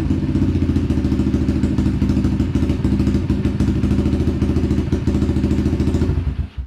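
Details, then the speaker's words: Apollo DBX-18 dirt bike after replacing shredded transmission gears, splitting the cases and fitting a full gasket kit: steady, even single-cylinder idle with the earlier gearbox rattle gone, then shut off. "Good sign. I don't hear the rattling that was going on before, so we'll strap up."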